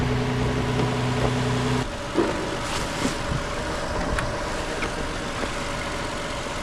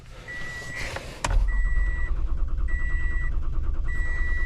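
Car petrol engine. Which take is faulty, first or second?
second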